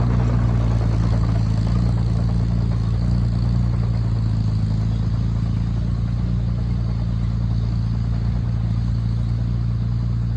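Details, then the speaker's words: Oliver Cletrac OC3 crawler with a new engine being broken in, dragging a chained truck with the brakes ridden: a deep, steady drone holds even under heavy pull with no misses, stumbles or knocks. Normal engine under load. "Well, we got it good and warm, worked it good there. Vic's just doing a walk around, checking the fluids, make sure nothing's blowing out of it anywhere. But yeah, seemed to perform well."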